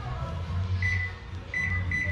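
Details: Hitachi SF-160XTV 16 kg washing machine control board, previously would not power on and only beeped on button presses, after replacing a faulty component: short clean beeps answer each press over low hum; panel now responds normally.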